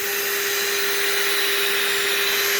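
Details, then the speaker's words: La-Z-Boy SlumberAir air mattress inflation pump after fixing the faulty latch by slipping a metal piece behind the catch; steady airy roar with a fixed mid-pitched hum, bed filling and the latch no longer popping off, so the repair worked. "You can hear the pump running. The bed's filling up. It's not wanting to come off."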